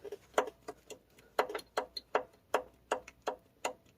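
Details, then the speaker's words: Honda S2000 engine with windage tray dropped, crank turned by hand: sharp metallic clicks, two or three a second, at the same point each turn. Cylinder 2 is the culprit, a spun or damaged rod bearing. "Yeah, that's doesn't sound too happy."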